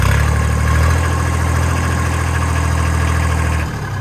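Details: Kubota L1802 diesel tractor with front loader idling steadily with a deep, even throb and no whine or knocking, after hydraulic fault (suspected air in system) was fixed and hydraulics work again.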